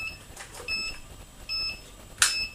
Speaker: then there's a continuous beep which it tells you there's an error so basically what you do then is to check all the switches make sure that they are in the up position